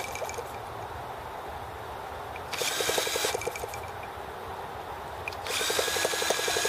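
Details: T26 model engine, outdoors at 3°F (-13°C), after a valve job and rocker-arm and carb adjustments: two bursts of drill-starter whine spin it with rapid compression pulses, but it never catches. Owner suspects the carb freezing or flooding.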